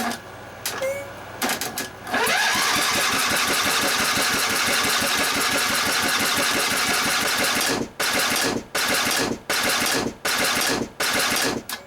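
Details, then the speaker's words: Abandoned 23 hp Briggs & Stratton V-twin, after swapping back the old coil to restore spark: catches with a bark, then harsh rapid clatter cutting out in bursts; broken connecting rod, chipped piston, cracked bore bottom. "Ouch. Yeah. Something is not good. And Okay, now you can see the carnage up close and personal."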